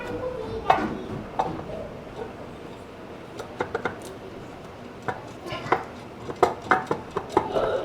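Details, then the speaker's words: Calibra C20XE Turbo 4x4 swap, differential turned by hand: sharp irregular metallic clunks with quiet between them; the ring gear (crown) is loose on its mounting. "Look, this noise you're making here I'll open it to see here Let's see that Damn, it's loose here"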